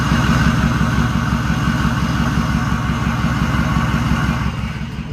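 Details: 6.0 diesel truck at idle, heard best from a distance: light quick even knock about three per second, sewing-machine patter; owner suspects an injector, additive added but not yet proven, source unconfirmed.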